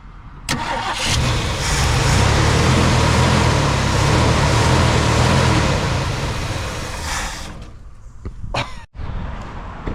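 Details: 1965 Mercury Montclair 390 FE big-block V8, long-sitting, fuel poured in: fires and immediately roars to high revs, holds several seconds, then falls away; throttle hanging open because its return spring is missing.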